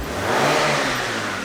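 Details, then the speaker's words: 2003 Hyundai Sonata after ignition coil diagnosis and muffler repair: the helicopter-like noise is gone; the engine picks up and settles smoothly with an even exhaust note and no back pressure, sounding like a healthy car. "hopefully the helicopter noise is gone oh wow how about that beautiful sounds like a regular car I can already tell there's no back pressure"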